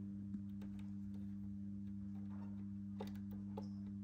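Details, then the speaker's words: Chieftain tank turret control box relay from a spare unit: steady low hum with a faint rattly buzz. The relay is energised but not pulling in fully. "yeah that does sound like it's working but not fully so if you have a listen"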